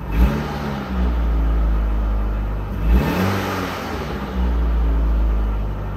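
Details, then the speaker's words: 1995 Ford Escort Wagon after exhaust system replacement, from a cold start: two quick revs with a smooth rise and fall and no catalytic converter rattle; valvetrain noise is audible on cold start and a slight rattle remains. "no more rattle i don't hear the cat rattling i do hear something rattling a little eh"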